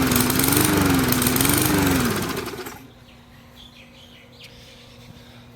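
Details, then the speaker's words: Briggs & Stratton 450 series 148cc horizontal mower engine: pitch surges up and down about once a second nonstop, then cuts out; air filter ruled out, faulty carburetor-to-tank diaphragm the cause. "Uh just surging up and down and up and down and up and down. Won't stop. And that's the telltale sign of the carburetor."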